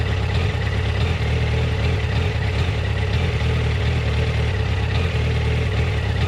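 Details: Yamaha FZ1 warm at low rpm: low, uneven, slightly lumpy stumbling idle, jerky at low rpm; coils tested in spec cold, spark plugs about 6000 km and 2 years old; problem intermittent, cause unknown. Rough idle.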